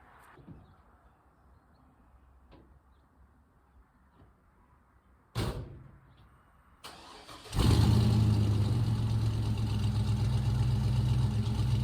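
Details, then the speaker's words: 1956 Chevy pickup first start after replacing rotted Flowmaster mufflers with Dynomax Super Turbo mufflers; after a brief crank it holds a deep, steady exhaust burble with no rattles or leaks: normal start and idle. "I haven't heard it run yet, so this will be a first. I just hope it's not too quiet."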